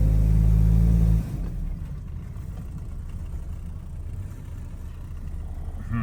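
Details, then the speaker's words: Toyota 2.4L truck floored after the code was cleared and a loose distributor wire was fixed: a flat low drone that never builds revs, choked and sluggish, with no pull; poor acceleration, cause suspected (EGR valve/catalytic converter). "It's still doing the same exact thing. Like that's floored. That's floored."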